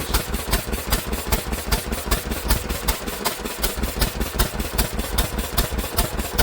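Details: Old Lister engine, first run in many years after sitting, throttle held open with a stick, governor linkage not yet sorted: even, steady firing about two and a half pulses a second, no misses or knocks; running sweetly.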